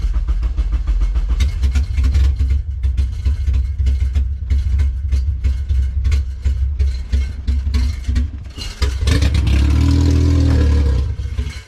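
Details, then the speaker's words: Honda Civic with K-series engine swap on a KPro base map, first start: choppy, stumbling idle with irregular bursts, then a brief rev before it dies; runs rough and stalls, running very rich, tuning suspected. "It kind of wants to fire on. No, don't die. Come on, baby. Oh gosh. She kind of fires on, but she runs like garbage."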